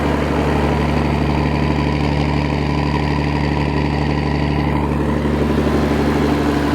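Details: Massey Ferguson 760 combine, thought to be a 1984 or 1985, which sat for years because it was hard to keep started and running. Steady low diesel idle with a slightly uneven loping beat, suspected cylinder miss, cause unconfirmed.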